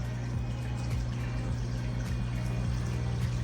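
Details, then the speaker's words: Hygger ultra-silent aquarium air pump on suction feet, at full output: low, steady hum with soft bubbling and a gentle pulse about twice a second; quiet, even running. "That's nice, and that's the full output on it."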